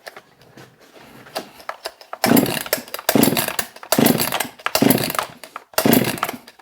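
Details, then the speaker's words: Husqvarna 262XP chainsaw after cleaning, choke on, air filter off: repeated rasping pull-cord strokes with no firing; spark present, moisture from pressure washing suspected; cranks but won't start. "should have fired should have fired by now"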